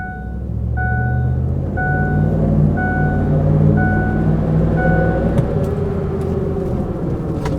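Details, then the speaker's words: Truck with Ford 5.4 V8, two-wheel drive while driving: deep, steady roar from the rear axle holding with road speed, like a dinosaur or supercharger, worsening over time; rear differential pinion bearing roar. "kind of sounds like a dinosaur back there or a missile taking off or maybe a supercharger in the rear. Either one of those is a great way to describe that noise, but it's been progressing throughout the time that I've had it."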